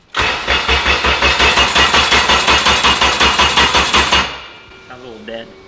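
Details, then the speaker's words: Abandoned Honda rebuilt, after fixing a missing ground that cut ECU power on cranking: dragging slow cranking about three beats a second, never catches, then stops; weak battery, needs a jump pack. ">> She needs a jump pack."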